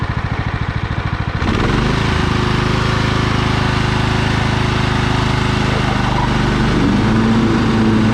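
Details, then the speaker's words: Husqvarna LT 1538 riding mower, Kohler CV15 single-cylinder, manual PTO: after warm-up and choke use it starts with rapid chuffing, idles down and runs smooth and even with no surging or stumbling; normal running. "see little idle down runs good and [Applause] smooth"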